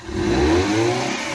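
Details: Maruti Eeco with codes P0133, P0130, P0171, won't exceed 20–30, no pickup in third or fourth, stalls at idle on CNG: engine revs sound flat and strained, never climbing freely; choked silencer or catalytic converter restricting exhaust.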